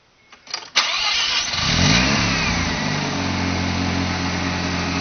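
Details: Engine start-up after a fresh rebuild, with Apexi intake, Bonez cat, HKS downpipe and Dragger exhaust: quick crank, fires at once, flares up and settles into a steady, even idle with no knocks or ticks; healthy start.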